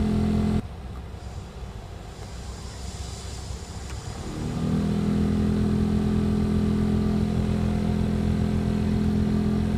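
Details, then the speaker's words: 2003 VW Polo 9N heater blower motor stepping up speeds with steady droning hum and faint whir; after removal and cleaning noise persists but lessens daily, worst on third speed; earlier loud at speeds 2–4, vibrating dashboard. "the noise is still there but actually after driving it a few days it became less and less each day the most noise I have now is on the third speed"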